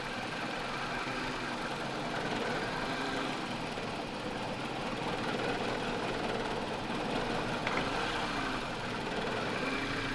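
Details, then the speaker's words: 2007 Toyota Corolla XLi with black smoke and fuel economy complaints, MAF codes: quiet uneven idle with irregular shaky beat, rpm hunting up and down; vibration worsens when third injector tested, all coils and cylinders working. "Engine जो है ना ज़्यादा वाइब्रेट करने लगे। तीसरे इंजेक्टर के ऊपर इंजन जो है ना ज़्यादा वाइब्रेट करने लगी है।"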